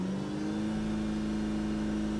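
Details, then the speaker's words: 2011 Chevrolet Equinox with throttle body correlation code P2135, in reduced power mode: engine holds a steady raised drone that doesn't change as the pedal is pressed; throttle body stuck at about 21–26 degrees. "but they don't move at all this throttle body is not moving what is actually doing is when I hit the app hit the accelerator pedal it's actually letting the engine run up to that RPM"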